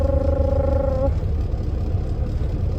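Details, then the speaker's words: Diesel semi truck engine heard from inside the cab: steady rumble under a loud, even droning hum that cuts out after about a second; source of the drone unclear, a part reportedly broke off. "но вы слышите да что мотор гудит я про слышу что мотор гудит таков"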